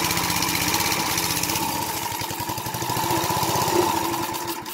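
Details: Briggs & Stratton 2 hp horizontal-shaft edger engine after carb clean and adjustment: steady fast putter, about four firing pulses a second, running evenly before shutdown; normal running.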